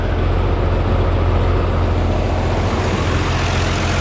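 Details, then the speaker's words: Oliver 1655 tractor diesel after injection pump fuel leak repair with new O-rings: deep even idle set to about 800 rpm, no knocks, misses or hunting; smooth, no leaks seen, not yet warmed up. "That front one sets the idle speed. Yeah, just a Harold 800. I like that. Sounds good. Smooth."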